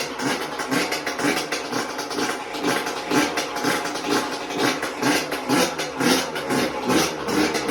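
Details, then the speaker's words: Yamaha YZ125 two-stroke after a new piston and honed cylinder, which previously was weak and wouldn't start: crisp buzz rising and falling in regular rev blips, clean and even; runs like it used to. "As you can see, turned on nice. Like, it took a little bit because I got a brand new piston, but sounds nice, sounds good how it used to."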